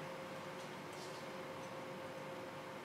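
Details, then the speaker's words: Sapphire graphics card fans (7950/7970/R9 type) after homemade PWM-to-DC adapter fix for faulty internal fan controller, at minimum RPM; quiet steady airflow hiss, faint constant tone, no ticking or rattle; normal fan at minimum speed. "there we are at minimum RPM Dunno if you can notice the speed on the fan, due to the camera"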